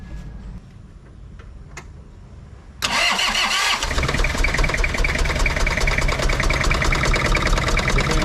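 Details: Toyota Kijang Kapsul LGX 2L diesel with injection pump and nozzles tested good: engine catches and settles into a busy, even clatter with sharp ticking; rough running suspected to be valve clearance, before valve adjustment.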